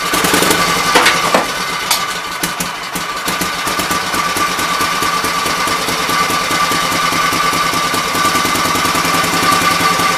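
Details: Kohler K241 single-cylinder engine, likely off a Gravely 810, revived after mixture screws set to three turns: steady thumping at a settled idle with even firing, no misses, not really smoking.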